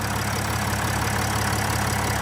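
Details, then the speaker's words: Nissan Navara V9X 3.0 dCi diesel after replacing crankshaft pulley (harmonic balancer) that clicked/rattled with AC on; steady smooth idle with AC engaged, no clicking or rattle, fixed. "no more noise when the AC is on so fixed"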